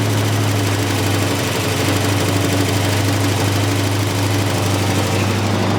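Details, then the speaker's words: 1965 Chevy pickup assembled from parts, first start with no oil pressure registering while cranking: loud, uneven clatter over a rough low idle, worst at initial start-up; likely oil not reaching the valvetrain. "and it's clattering really bad we should probably shut it off"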